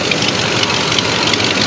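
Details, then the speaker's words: 1973 Oldsmobile 98 with 66,000 original miles, running after 15 years off the road: loud raspy idle with sharp ticking hiss at the head; a chunk of exhaust manifold gasket is missing, otherwise engine runs smooth. "Obviously you can hear, I'm sure you can hear it's actually missing an entire chunk of gasket right at the manifold. So that's why it's so loud right there. If that wasn't like that, this thing would be bone quiet, dead quiet right there at the motor."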